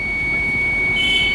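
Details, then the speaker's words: TVS iQube electric scooter, nearly two years old, at full throttle: steady high electronic warning beep over faint hum as power drops out; recurring power-loss fault. "ಮತ್ತೆ ಇದೇ ತರ repeat ಆಗ್ತಿದೆ ನೋಡಿ full accelerator ಕೊಟ್ಟೆ power ಇಲ್ಲ ಅಷ್ಟು power down ಆಯ್ತು ನೋಡಿ"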